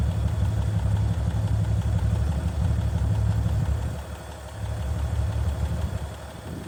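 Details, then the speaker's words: 1965 Chevy C50 grain truck abandoned for years, just started on a temporary fuel feed bypassing a suspected faulty fuel line, with a slight leak suspected; low, fairly even idle with a steady rumble and no knocks. It runs fine. "think it's leaking slightly. Oh, you can just hear it run."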